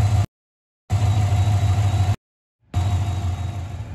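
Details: 2015 Chevy Silverado 5.3L after high-pressure fuel pump replacement for failed seal causing rich codes P0175/P0172, oil changed: catches and settles into deep even idle with steady low hum, no stumbling; normal start and idle.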